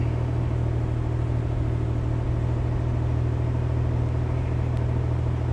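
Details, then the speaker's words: 1966 Corvair Turbo with Mikuni carb just after cold start, temp gauge barely off 100°: deep heavy rumble at idle with slightly irregular pulse about four per second; rough until warm, takes a few minutes before it idles alone; idle set about 1000. "It takes a few minutes to get it up to temperature enough that it will sit here and idle."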